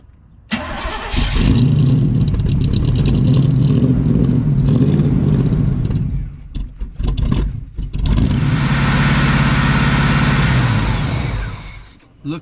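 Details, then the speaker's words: 1980 Chevrolet Cutlass scrapyard car with probably old gas: loud V8 runs hard, sags and nearly dies, then catches again, running only when fed fuel up top; fuel starvation, either out of gas or fuel pump bad. "And uh like I said, it's either out of gas or needs a fuel pump. So, it will run if we keep giving it the fuel up front,"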